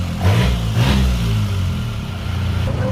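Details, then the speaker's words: Toyota Revo diesel after cleaning clogged injectors that caused constant white smoke and stumbling: steady low diesel rumble with light throttle blips, no stumble, white smoke gone; normal running. "จบนะครับสตาร์ทติดเครื่องเดินเรียบวิ่งเลยนะฮะเดี๋ยวเราไปดูบ้าง"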